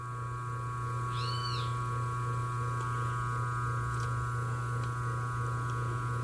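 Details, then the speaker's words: 127 V motor on an oversized 50 µF/250 V run capacitor: a heavy, steady low hum with a higher whine above it, louder than normal. Current reaches 4.6–4.7 A with about 4 A in the auxiliary winding, which would quickly burn the motor. "Pode ver que o barulho dele já aumentou. E a corrente foi para 4,6, 4,7 amperes."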